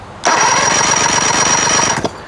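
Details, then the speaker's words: 1999 Johnson 70 hp two-stroke outboard that won't start, cranked with plugs out for a compression test. Steady, uniform cranking; cylinder three reads 135 psi, so compression is good on all three cylinders. Normal. "135. So we have good compression on all three cylinders now."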